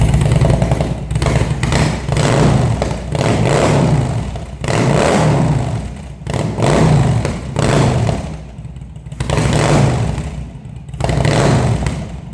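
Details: Engine first start after carb rebuild, fed from a remote fuel bag; catches and runs, rising and falling cleanly through repeated throttle blips every couple of seconds; normal running.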